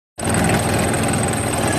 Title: rough idle #engineservice #engineproblem #workinprogress #mechaniclife